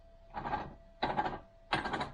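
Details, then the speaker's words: 1971 Triumph Stag gearbox, supposedly refurbished, off the car, shaft turned by hand in gear: three rough, gritty rasps, each about half a second; bearings very noisy, worn bearing. "bearings are sounding hellishly noisy right we're back in neutral again"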